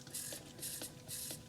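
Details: Rover P6 electric fuel pump drawing petrol: rhythmic hissing pulses about twice a second with faint ticks, as air and then fuel is pushed through into the carburettor; normal priming.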